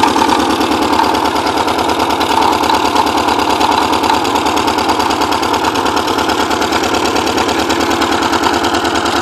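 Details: Porsche 944 first started after ten years sitting, with all exhaust valves bent when the timing belt tensioner pulley fell off; an uneven, lumpy idle with rapid stumbling, smoking badly, misfiring.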